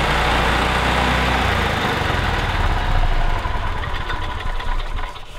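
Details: 1985 Club Car DS gas golf cart that had cranked but barely started and died, after cleaning the carburetor and reinstalling the air box: single-cylinder putters at a fairly even beat, settling lower; normal running.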